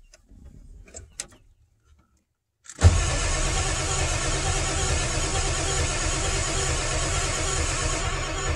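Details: 1997 Ford F350 7.3 L Power Stroke diesel with no scan tool connection to PCM: starter spins engine steadily about six seconds with no firing; cranks but won't start, cause unconfirmed.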